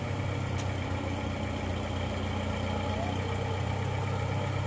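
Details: Suzuki Escudo engine after rebuild with machined cylinders and new ring set, previously smoking from worn scored cylinders: smooth, even low idle rumble with no knocks, ticks or misses; smoke now clean, running healthy.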